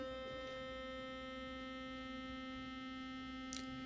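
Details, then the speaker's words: Philips Sonicare FlexCare Plus toothbrush, about a year old, running with the brush head set on a table; steady even buzz with a clean fixed pitch, no rattle or wobble, it settles in balance unlike the defective unit; normal running. "You see, once it finds that balance, it's not moving like crazy like the broken one."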